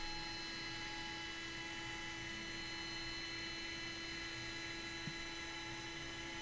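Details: Aircraft attitude indicator just powered up: steady whine of several pure tones over a faint hum, spinning smoothly with no rubbing or grinding. A healthy gyro spin-up as the off flag clears and the instrument slowly aligns to level.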